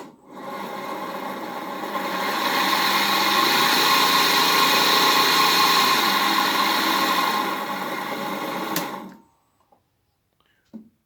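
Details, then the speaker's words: 1HP three-phase motor for Bridgeport mill, apparently wired for low voltage, first run on VFD at variable speed in forward, before bearing replacement: rough gritty whirring swells on spin-up, holds, fades on coast-down; works electrically but bearings worn. "so on first inspection, other than the bearings, appears electrically it's working."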